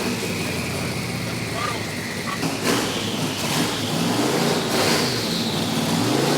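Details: VK Calais V8 running after injector and pushrod fixes: pulls up smoothly with throttle, even note, no ticking or misfire over shop noise. Healthy.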